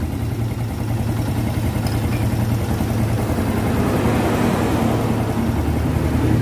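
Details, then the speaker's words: Vega ZR motorcycle after a heavy overhaul (long unused; leaking valve seals, corrosion from spilled battery acid), kick-started: small single settles into a steady idle that rises slightly, no rattle or knock; rebuilt engine runs healthy. "nih mesinnya sudah hidup suaranya dengerin ya bedakan dengan sebelum kita lahir kemarin waktu pertama kali datang"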